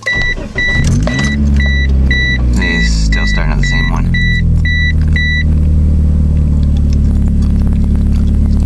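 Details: 1996 Mitsubishi Eclipse restarted after removing a part to see whether the idle changed: a chime, then it cranks, catches and settles into a steady but fast idle that never drops; idling too high, still the same.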